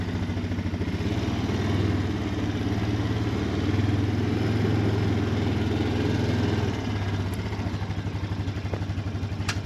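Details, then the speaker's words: Honda Foreman ATV after replacing electric shift motor, previously needing 4-5 pushes to shift from reverse: steady low chugging idle, gears drop in cleanly with no grinding or repeated clicks; normal gear shifting. "Oh, it does shift a lot easier now. A lot of times I'd have to push from reverse to neutral. I have to push like 4 or 5 times to get it back up."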